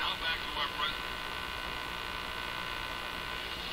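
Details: Crosley 43FB farm radio during shortwave-band trimmer alignment: a steady hum-like buzz under hiss and faint station chatter while tuning; the cause of the buzz is unclear.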